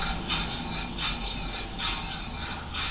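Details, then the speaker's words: 1998 VW Golf VR6 noisy rear wheel bearing with a little play, wheel spun by hand: rhythmic brake swish about once a turn over a low, rough rumble from the worn bearing. Noise is much worse at 100 km/h. "right so our first problem we've got a noisy rear wheel bearing it's a little bit of play there's a bit of noise"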